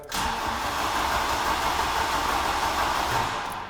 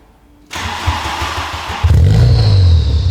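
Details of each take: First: VW Golf GTI Mk3 that won't start after sitting about two years, cranking to check compression: the starter turns it over evenly at about three beats a second with no light strokes; all four cylinders show okay compression. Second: VW Golf GTI Mk3 rally project, phone placed next to exhaust: engine fires and settles into a deep, booming idle drone reading 99 dB at tick over, over the 92 dB track limit; hollow universal Powerflow rear box, to be replaced.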